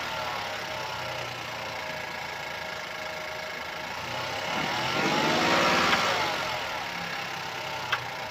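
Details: 2017 Opel Astra K, 1.4 L petrol (B10XFL, 77 kW/105 PS), 90,859 km: light, fast ticking rattle over steady idle with a brief rev, caused by a stretched timing chain.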